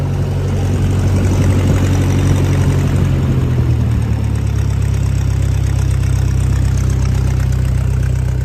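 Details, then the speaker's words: 1956 Massey Ferguson MH50 gas tractor with new battery and key switch: low, even putter at steady idle, no knocks or misses; healthy engine. "That's the little tractor just idling, folks."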